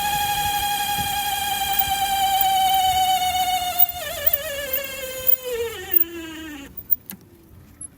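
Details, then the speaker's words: 1982 Honda Magna motorcycle: loud steady howl wavering and falling in pitch as it slows, suspected in the speedometer head; fixed by opening, cleaning and lubricating the speedometer. "So, I'm going to have to dig into that. I suspect it's actually in the speedometer itself, which is going to be a big problem."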